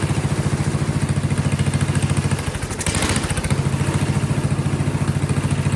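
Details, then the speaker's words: Vintage Kohler generator flathead engine: a steady single-cylinder thump stumbles and sags about a second, then recovers. Rough running is suspected from the ignition condenser popping off; it also wants choke. "The capacitor, the thing was popping off. So that's probably causing an issue."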